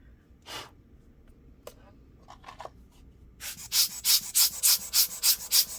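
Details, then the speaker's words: ASUS GL504G laptop fan turned by hand after disassembly: quick, gritty, scratchy rasps about three per second, a grumbly, worn-bearing grinding. The fan cannot be removed for repair, so it needs replacing. "yeah still makes that grumbly sound so sadly it doesn't look like there's a way to pop this fan off"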